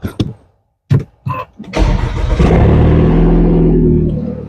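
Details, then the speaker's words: 2013 Audi A4 after a P0304 cylinder 4 misfire with a flashing engine light: a few cranking clicks, then a steady, even idle with no stumble. Replacing the bad ignition coil fixed it. "There we go. Running nice and smooth again. Son of a Bum coil. That's all it took."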